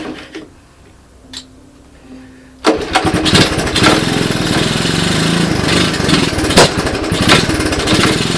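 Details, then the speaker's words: 1981 Honda ATC 185S single-cylinder, cold first start at 64°F on portable 12V CDI ignition with clone carburetor: starts after a few pulls, runs choppy with irregular heavy clunks; cause not found, chain or rear end seized. "did you guys hear that clunking in there she didn't sound very good didn't sound good at all"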